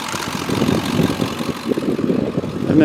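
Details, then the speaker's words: 2002 Ford F250 with 7.3 L Powerstroke diesel, four-speed automatic, Banks exhaust, factory idle unmodified: even, steady diesel idle clatter with no misses, knocks or hunting; healthy idle. "I haven't really messed with it I like the factory idle on it so I haven't done anything there"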